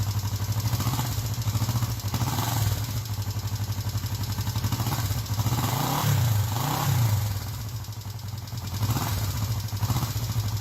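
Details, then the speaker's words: First start of a viewer's freshly built project engine: even low exhaust pulse with light mechanical chatter, steady through mild throttle changes; runs smooth, normal running. "Gotta love that sound. It's all right. Way to go, dude. Like, that is super, super cool."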